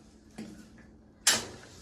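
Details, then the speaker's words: Kenmore S500 top-load washer during test with lid lock removed and fitted to trick it closed, set to rinse: faint tick then one crisp click as the lid lock engages normally. "And you can hear that's when it locked the door, but we have it open, we tricked it, making it think that's there."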